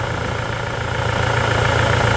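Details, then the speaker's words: Toyota SW4 2017 with 2.8 1GD diesel, engine fitted after the original ingested water and dirt through the intake, at idle with oil pressure above 4 bar: steady, even clatter and smooth low throb, no knocks or misses. Healthy idle, "better than new." "Rapaz, tá melhor que novo. Nota 10, né?"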